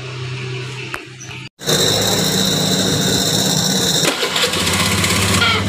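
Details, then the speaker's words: Honda Beat injection scooter: harsh high-pitched "ngek" grinding for a couple of seconds as the engine starts on the electric starter; the starter motor is dry and unlubricated. "jadi suara kasar setelah mesin hidup saat starter ya untuk masalah seperti ini biasanya ada masalah di dinamo starter ya dinamo starternya ini kering"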